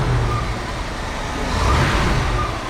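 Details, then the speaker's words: 1975 International Scout, warm from running a couple of hours earlier, idling after oil work: a low, steady, even rumble with no top-end ticking. It is quieter now; that side had likely been drained of oil. "And now you can tell it's quieter than. So it must have just had all the oil drained out of that side."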